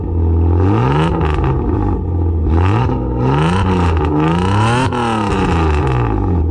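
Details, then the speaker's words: Toyota MX83 Cressida with a newly fitted, not-yet-driven exhaust, slightly smoky: loud revving with raspy puffing chatter rising with rpm. Exhaust leak at blown header gaskets; new header and 3-inch mid-pipe gaskets needed. "sounds alright though i definitely need new header gaskets and a three-inch mid-pipe gasket probably use a bq1 but you can hear the blown gaskets but it's a lot better than a chopped open"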